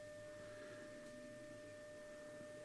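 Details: Philips BX626 tube radio, first power-up with dim-bulb limiter lamps being added (supply rising from 122 through 188 to 211 V), phono test tone: a clean steady mid-pitched tone at even volume with faint hum; the audio stage passes signal properly.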